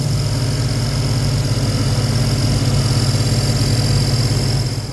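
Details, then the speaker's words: 2000 Ford Explorer 5.0 V8 with Meziere WP374 electric water pump, installed 7-8 years ago: rough idle with steady high thin squeal from the belt drive; idler pulley bearing screech. "And as you could hear, it does not sound good."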